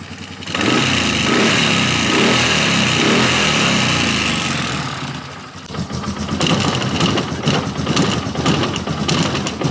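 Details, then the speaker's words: Polaris Sportsman 450 ATV with its original Mikuni carb refitted, slow screw still needing tweaking. Single-cylinder idle with an uneven light rattle about twice a second over the thump. Owner suspects the starter clutch is rattling; not confirmed. "This thing's got a noise in there, too. It had this before, and I would s I would think that the starter clutch is rattling around in there."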